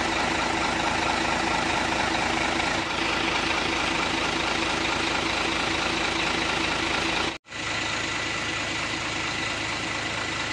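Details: Hino Lohan 500 FM 260 Ti truck J08E diesel just reassembled after overhaul: steady idle, even rhythm and speed, no tapping or grinding, described as very smooth; normal idle.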